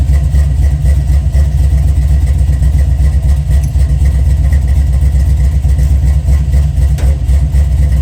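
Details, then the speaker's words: 1979 Chevy C10 with 5.3 LS swap, first start after new fuel tank and fixed fuel leak: strong even low rumble at steady idle, about four pulses a second, no misses or ticks; normal idle. "We finally got the ugly street truck to fire up. [Music] running pretty good."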